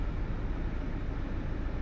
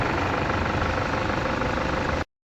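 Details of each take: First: Toyota Fortuner diesel with code P0093, stalling while driving and no acceleration: at idle the engine shakes with an uneven, lumpy rumble, a misfire the mechanic blames on faulty injector number 3; injectors then removed for testing. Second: Toyota Fortuner diesel after repair of code P0093 (stalling, shaking) and a road test: steady, even idle with no misses or surges, no warning light, codes cleared, no leaks around the injectors.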